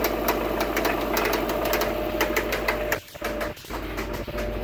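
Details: 2002 Subaru WRX running engine with light, slightly irregular ticking at roughly two per second, a top-end tick; cause unknown.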